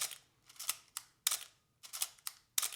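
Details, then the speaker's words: Canon AE-1 family (A-1/AE-1/AE-1 Program) camera being wound and fired several times right after 1–2 drops of oil for shutter squeak and slow mirror; crisp snap-and-clack releases, about five in three seconds, no squeak, normal shutter and mirror firing. "Then you're going to wind and fire your shutter a few times, let it work in there."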